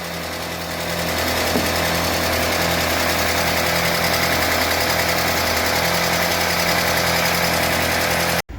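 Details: UAZ Patriot engine on cold start, oil pressure gauge connected: quick light ticking, three or four a second, over a steady cold idle as hydraulic lifters clatter until they fill with oil; warm-up follows for pressure check.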